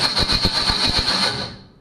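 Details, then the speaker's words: 1965 Ford Mustang with new electronic ignition, two starters tried, shimmed, engine-transmission plate missing: harsh metallic grinding pulsing about four or five times a second while cranking, gradually worsening; flywheel found to be bad. "i don't know if i have a flywheel problem or or what it's supposed to b"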